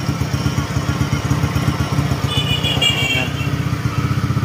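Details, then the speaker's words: Honda Click 125/150 parcel-delivery scooter, always heavily loaded, idling: a deep, uneven droning rumble like a big bike under the idle beat, plus a noisy muffler. The mechanic diagnoses a crankshaft problem. "Sigunyal na nga rin yung problema nito kasi umuugong tunog big bike. Sinabayan lang ng muffler na medyo maingay."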